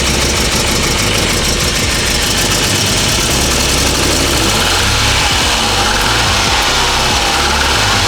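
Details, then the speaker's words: Classic car with worn engine mounts, rough idle, after fuel system cleaner: loud uneven idle with a raspy puffing chuff in the exhaust note; exhaust leak, otherwise runs well, no longer sputters on throttle. "Guys, apart from the exhaust leak, this engine sounds good. Before you used to sputter when you just touch the gas. Now it's clearing out."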